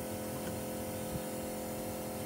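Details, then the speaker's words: MK3 Toyota Supra 7M-GTE with new fuel cell: fuel pump priming gives a soft, steady electric hum with no surging, much quieter than the old clogged setup's loud whirr; normal. "okay as you canar here the fuel pump's running way more quieter than that wall brr that I had clogged in my old"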